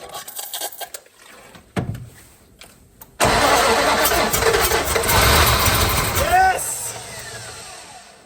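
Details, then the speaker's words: 1970 Dodge Dart Swinger 360 V8, previously seized and water-filled, hand-primed with mixed gas: catches with a rough uneven burst for about four seconds, then dies; fires but won't sustain. "that was life. It didn't sound good and a bill of dust everywhere."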